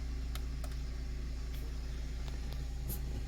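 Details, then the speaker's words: Car with a Kenwood Excelon head unit, after a ground wire was added to a screw to cure the buzz: a steady low engine rumble behind the stereo, with no whine following the revs; the buzz is gone. "sure everything is functioning so far so good i don't hear no buzz sound oops yeah it's gone man it's gone the buzz sound is gone y'all it's gone"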